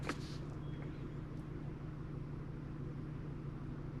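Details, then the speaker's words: 2022 Genesis GV70 3.5 L, 25,000 km, P0301: quiet idle with soft irregular stumble about three times a second, whole vehicle shaking; cylinder 1 misfire confirmed by misfire counter, injector 1 shut off. "I can feel the misfire. I think you can see that in the camera that the whole vehicle is shaking."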